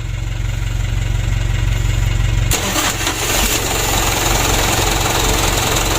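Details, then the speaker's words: Mitsubishi Canter diesel after injection pump plunger replacement and adjustment, previously hard-starting and wouldn't take throttle; starter and battery suspect: starter cranking, then catches and settles into even, steady idle with firm low rumble; normal start. "mesinnya sudah hidup kita matikan dulu"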